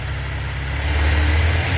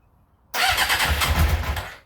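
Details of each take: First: 1996 Suzuki GSX-R 750 SRAD, carbureted, previously a no-start, after the fuel pump was reconnected and the high idle adjuster turned down: a deep, steady engine hum holding an even idle without stumbling or surging. Normal idle. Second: 1996 Suzuki GSX-R 750 SRAD, carbureted, mostly original, previously a no-start, fuel pump reconnected, started on choke with no throttle: it fires, dies, then restarts and climbs to a fast steady idle. Cause: idle adjuster set too high, then turned down. High idle speed.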